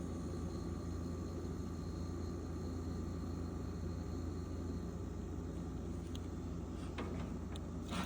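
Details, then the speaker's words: Frigidaire refrigerator (R600 refrigerant) that would not run, after the timer repair: low steady compressor hum holding even with no clicking or rattling, running normally. "All right, so now that you hear it's running, I'm going to show you now the actual safe way to keep your refrigerator running, just because you got to remember this is an R600."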